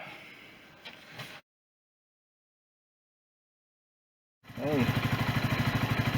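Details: Sinnis Bomber 125 at 2661 miles, after service with new air filter, oil and filter, and new exhaust from an AJS Cadwell plus gasket: steady even putter with no exhaust blowing or ticking; normal idle.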